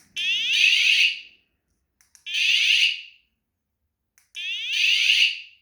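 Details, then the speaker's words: Pebble bike's hidden 120-decibel vibration alarm set off from its remote noisemaker button about four feet away, the second unit muffled under an armpit: three shrill rising-and-falling shrieks, about a second long and two seconds apart; one alarm sounding. "So you can hear just the one. I'll put them back both 2. I'll back up same amount of space. And that's 2 alarms going."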